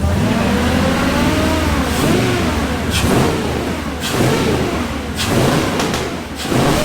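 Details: Off-road wrecker V8 on a stopgap exhaust, warming up with no load: small throttle blips rise and settle evenly with no misses. Reversed sensor wiring that gave a bad RPM signal has been corrected, the engine is self-tuning and appears to be firing on all cylinders.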